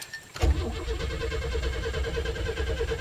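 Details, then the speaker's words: 1989 Pontiac Firebird barn find, sat for years: engine cranks at a steady even rhythm but never fires; no oil pressure building, battery weak; owner suspects fuel pump (relay thought not at fault, later found oil-gummed), not confirmed. "doesn't seem to be building any oil pressure batteries just a little so it's not the relay i don't think most likely i have to take it apart and it's the fuel pump"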